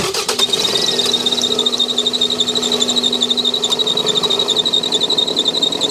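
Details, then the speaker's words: 2001 Toyota Camry 2.2L idling: high, steady belt squeal pulsing about four times a second as the belt slips. Cause: failed, visibly wobbling harmonic balancer (crankshaft pulley), to be replaced. "Oh yeah, we've got a wobbly harmonic balancer. You can see that pulley down there is moving."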